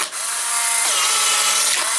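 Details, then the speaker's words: Polaroid 600 camera being tested with a film pack of old film and the dark slide loaded, right after the film door is closed. A short, even motor whir winds down after about two seconds. The camera is working properly. "Listen for that sound. That means that your camera is working properly, and then this dark slide or the first photo, whichever, should eject."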